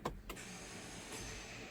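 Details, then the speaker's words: 2017 Honda CR-V, about 160,000 miles: a light, steady electric whir when starting, with no cranking. The starter free-spins and never engages the flywheel. "you can hear it you can hear it uh the starter just spin it doesn't even engage yep that's all it does"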